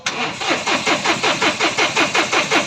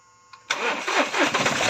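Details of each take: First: 2020 Mahindra Bolero Power Plus diesel in neutral; starter cranks evenly, about four to five pulses a second, fuel pump audibly running, but engine never catches; faulty fuel control unit, codes P000100 and U242000, check engine light on. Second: 2020 Mahindra Bolero Power Plus diesel, which cut out at 80–100 km/h, starts after a second-hand fuel control unit motor was fitted; engine catches at half a second and settles into a steady running rumble, normal start.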